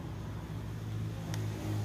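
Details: Large 11-inch Victor electric fan that won't spin: a low steady mains hum with no blade whoosh, the motor energised but stalled with its shaft seized in a dry bushing; fixed by replacing the bushing with a bearing.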